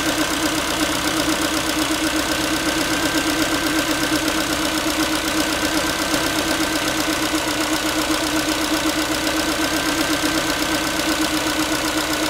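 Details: Ford Focus 3, 1.6 (125 hp) engine idling after a cold start: a steady light tinny, pan-like metallic rattle of roughly two to three taps a second over the even engine hum; cause undetermined, owner asking what it is.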